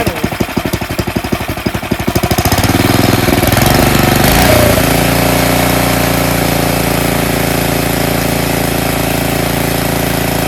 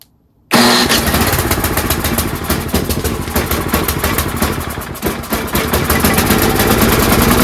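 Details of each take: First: Tecumseh snowblower engine after the surging problem is addressed: rough pulsing start, then a steady, even drone with no rise-and-fall hunting; the idle holds smooth, normal steady running. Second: Tecumseh snowblower engine surging/hunting at idle, chugging unevenly with speed sagging and picking back up instead of holding steady, caused by a clogged carburetor pilot jet; fixed by cleaning it.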